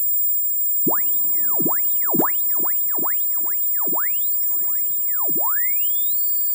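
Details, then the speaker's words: Cheap Amazon switch-mode supply powering a German WW2 tube radio receiver (2 V filament, 90 V anode), 1 microvolt test signal: constant thin high whine under sweeping tuning whistles; 0.6 V ripple at 15 kHz on filament line, cured by 1000 µF capacitor. "I am sending in a signal of 1 microvolt at 50 on the scale as we hear there is a constant high frequency beeping sound there and then there is noise on some frequencies"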